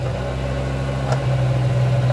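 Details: BMW E60 M5 S85 V10 at idle during VANOS bleed/test after solenoid replacement: steady low hum, even note, no ticking or misses.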